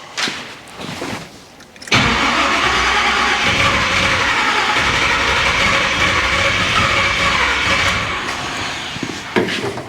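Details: Chevrolet Monte Carlo, first start with idle cranked up: catches after cranking, runs rough and uneven for several seconds, then sags and fades and won't hold a steady idle. Cause suspected, not confirmed.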